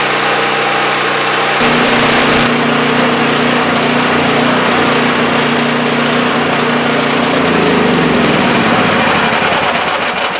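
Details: Champion 5500 W generator after overdue maintenance (oil, spark plug, oiled foam air filter, new battery) as electric heater load is applied: steady drone bogs briefly then settles, speed holding even; healthy under load.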